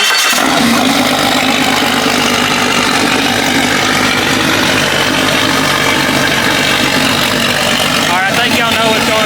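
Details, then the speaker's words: Jeep 5.0 stroker V8 with stage three cam, cold start, muffler off: loud, steady, even idle with no tapping or misses; normal idle. "I'm going let it get up to operate District make sure we're good open next believe we're good lock about 145 upward to 200 sounding healthy pretty"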